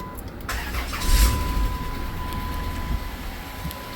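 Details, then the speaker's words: Vehicle with handicap controls, towed in with a broken belt, after belt replacement and coolant top-off: quick crank, engine catches and settles into a steady smooth idle with no belt squeal or chirp; normal start. "But she sounds good. I'm not overly concerned."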